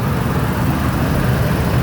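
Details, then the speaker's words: 2004 Ford Econoline E-350 SD XLT mobility van, V8, 98,070 miles, idling with hood open and no check engine light: even, low burble with no misses, ticks or knocks, no leaks seen; normal idle. "Underneath the hood, the V8 engine idles smoothly. No signs of any damage, no signs of any leaks. Purrs like a kitten."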